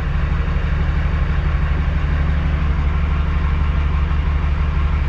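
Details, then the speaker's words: Truck diesel fully warmed up, oil temperature about 200, water just below 200, after repairing an engine-light issue that appeared when fully warm: deep, even idle about three beats per second, no stumble or miss; runs smooth. "sounds beautiful awesome okay now that I've double triple checked everything I believe the issue has been fixed"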